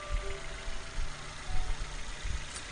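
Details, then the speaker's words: 2001 Nissan Almera N16 1.5 QG15DE petrol just started after oil and filter change, waiting for oil pressure light to go out: low, steady, even idle with no knocks or ticks; normal idle. "so starting the vehicle waiting for that oil pressure like to go out but a nice smooth idle"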